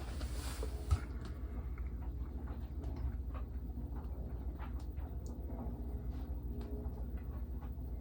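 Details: Samsung washing machine after new drum bearings and flange shaft: drum spins with low even hum and light patter, no grinding or roar; normal spin.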